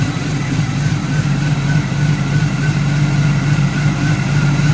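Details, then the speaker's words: Driveway LS V8 swap with short-tube headers: deep, chunky idle with slight cam lope, steady and even, no knocks or ticks; running fine, slight exhaust leak noted. "And as y'all can see, it runs pretty good. And this is the LS swap."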